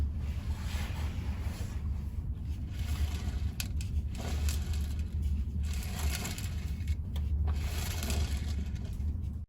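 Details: Transaxle of a car that can't exceed 10 mph (drive wheels lock up and can stall the engine), in neutral, front tire spun backwards by hand from underneath: uneven gritty rolling and scraping bursts like loose ball bearings tumbling inside, suggesting loose broken transaxle parts.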